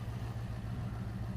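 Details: 1997 Dodge high-roof van with 360 V8 and automatic, sat about five years, started: low, steady V8 idle with even, lumpy pulse and no knocks or ticks; normal idle.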